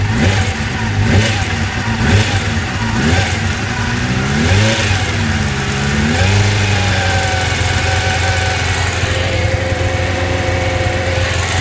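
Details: 1999 GSX-R750 sport bike engine at 65°C/149°F water temperature, blipped a few times then settling to idle, with a light ticking noise over the running engine.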